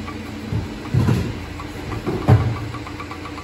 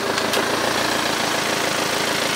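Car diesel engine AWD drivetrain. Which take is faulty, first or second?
first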